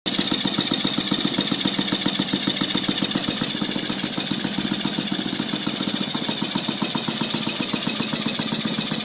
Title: Saito FG-36 with a strange noise